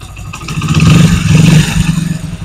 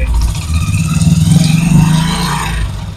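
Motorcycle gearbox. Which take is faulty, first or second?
second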